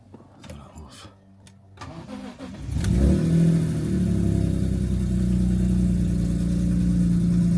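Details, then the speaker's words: BMW E46 M3, cold start after sitting a long time, known cylinder five misfire, bonnet shut: catches after a crank into a loud rough idle with deep chuffing blow underneath; exhaust leak. "Sounds so bad underneath. Such a bleak coming from the exhaust. It's mental. It's still cold. But you can hear it blowing so bad."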